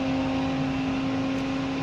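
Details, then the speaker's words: Symphony air cooler water pump after rewiring with 2 rotary switches, switched on after the 3-speed fan motor: steady low electric hum, even pitch, no rattles or surges; normal pump running. "तो motor चल पड़ा है, देखिए 3 speed है। अब चलाते हैं pump को। तो पंप चालू हो"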